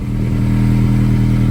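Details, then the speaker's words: 2007-2011 Honda CR-V idling, recorded under the car before repair. Low, rapid puffing flutter close underneath. Exhaust leak through a rotted-through resonator pipe in an aftermarket cat-back exhaust. "Okay, hopefully you can hear me under the car. Here's the farting problem. It's all rotted through."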